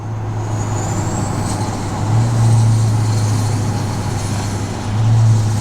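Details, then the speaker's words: 2024 GMC Sierra 2500 AT4X Duramax L5P diesel, 5-inch exhaust, 10L1000 transmission, while driving: deep, heavy drone that swells and holds as the truck slows; exhaust brake engaged and working normally. "All right, here we go. Oh my goodness. Hear the uh exhaust brake here."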